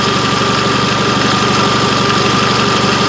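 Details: 1999 Nissan Altima 2.4L 4-cylinder with a replaced distributor, after ignition timing was set with a timing light (pulley mark lined up with the cover mark). Smooth, steady idle with an even pulse of about four beats a second and no misses or knocks. This is normal.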